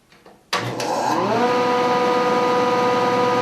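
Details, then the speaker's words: Newly assembled Grizzly G0654 6-inch jointer running without the dust collector, very quiet: spins up smoothly in about a second to a steady, even hum with a clean tone, no rattle or grinding; normal running. "okay it is really super quiet I'm just gonna turn it on here without the dust collector"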